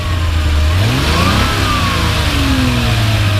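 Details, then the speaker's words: 1982 Ferrari 400i V12 with CIS injection and automatic, warm: engine note climbs cleanly and drops back smoothly on free revs, no knocks, rattles or misses; motor judged solid overall, normal free revving. "go ahead and rev it up a little bit I think the motor is pretty pretty solid overall and sounds good so go and rev it up another time"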